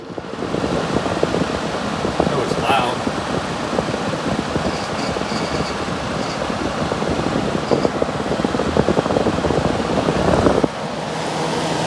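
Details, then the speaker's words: Vintage 6,000 BTU Gibson Air Sweep room air conditioner, possibly from around 1980, at start-up: a loud, steady rushing hum from the fan, even throughout; the fan is noisy and the cause is not confirmed. "let's fire it up see if i can get the compressor to kick on i can't make any promises though that's my fan"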